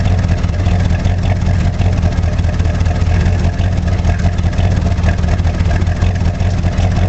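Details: 1985 Chevrolet Monte Carlo SS V8 cold start, car sat 14 years, burns oil (valve stem seals), electric choke broken: rough heavy idle with a dull low knock in the rumble; owner suspects rod knock but isn't sure.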